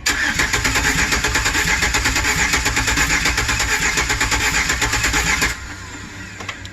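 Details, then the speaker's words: 2008 Chevy Express 4.3 V6 with 330,000 miles and rebuilt heads, cranking after oil added to cylinders: about five seconds of uneven, lumpy starter beat with no start; compression sounds inconsistent, cause unconfirmed, though each crank sounds better. "Now every time I crank this, it is sounding better and better and better, which is promising."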